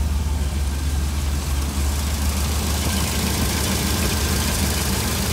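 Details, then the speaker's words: 1966 Cadillac 7-litre V8 with Holley Sniper fuel injection, IAC unplugged: low, even idle with a steady rumble, no hunting or surging, smooth like a sewing machine, unlike the IAC-controlled hunting idle. "we Schieffer like like a sewing machine that's how it should be"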